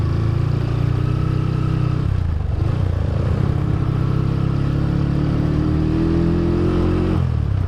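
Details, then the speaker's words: Suzuki GL motorcycle before carburetor swap, in gear: rough running sags twice, nearly dying before picking back up, won't hold low RPM without throttle held; near-stalling at idle, cause not stated. "Jadi kalau lu nggak nahan gas gitu ya, dalam keadaan gigi masuk tuh ngok lagi anjir. Harus minta RPM gede nih motor, nggak bisa RPM kecil."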